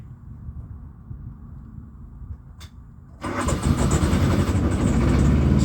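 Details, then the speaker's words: Truck APU diesel, sat a while and smoking, restarted: low rumble, then fires within a moment and settles into a steady even idle; owner suspects a plug/wiring fault and another earlier malfunction. "starts FAS now it's a plug it's a plug is this this is what's causing it"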